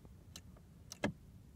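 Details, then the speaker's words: Audi A6 that won't crank, with ignition key turned: one sharp relay click and a few faint ticks. The starter relay is switching normally, so battery or starter is suspected next. "hear it so the relay should be fine"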